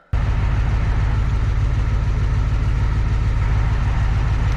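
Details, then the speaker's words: 1984 Ford F250 4x4, twin turbo 6.9 IDI diesel, swapped ZF5 five-speed with single mass flywheel, idling: soft, rapid gear rollover rattle, eased by an extra quart of transmission oil and 900 rpm idle. "the noise is still there, but it's much more tolerable."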